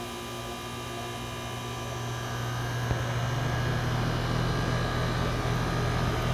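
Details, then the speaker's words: AC outdoor unit after a thermostat off/on reset: smooth, steady low hum with constant pitch and no rattles or grinding; compressor running normally, unlike the earlier obnoxious loud noise. "Now that's what it's supposed to sound like. Previously, I was yelling to hear myself over the machine. Now it sounds like it's supposed to after a reset."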